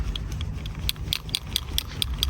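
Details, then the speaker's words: BMW E36 M42 with long cranking before starting: idle air control valve removed and being sprayed with cleaner and shaken. Light, quick metallic ticks as the pin rattles; it felt tight on removal and is freeing up. "so once it starts getting free like that you know you're uh you're doing good"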